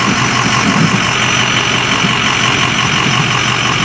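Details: Thin, steady high-pitched squeal held constant over the idling engine, not following its rhythm; source not yet located.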